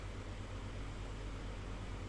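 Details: Remote-controlled Miyako electric fan after servicing the remote control module: soft, steady rush of air with a low motor hum and no rattles or scraping while testing speeds, timer and swing; running smoothly.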